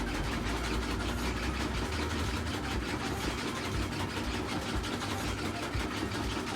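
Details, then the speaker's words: Samsung washer WA48H7400AW/A2 after fix for shaking: steady high-speed spin around 1,030 rpm, whooshing with a low hum and no banging or thumping; still mildly noisy but much better than before. "wow this is this is this is way better than before for sure it's still making noise but not as bad as before"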